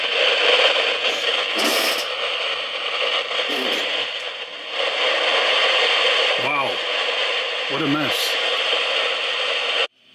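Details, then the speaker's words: Surplus PNP germanium transistor on a test jig feeding a small utility amplifier: constant loud hiss with crackle, like a rainstorm, and no tone underneath. It is complete noise with no gain; a bad, noisy transistor. "so soon complete noise it has no no gain [Applause] it just sounds like a a rainstorm with this small test circuit a utility amplifier"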